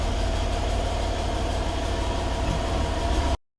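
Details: Stock 2012 Mercedes E550 4matic, M278 4.7 V8 twin-turbo, cold start after 5 hours parked, idle: loose fluttering rattle in exhaust note — wastegate flap rattle from faulty linkage, common on M278 and 3.0 V6 TT.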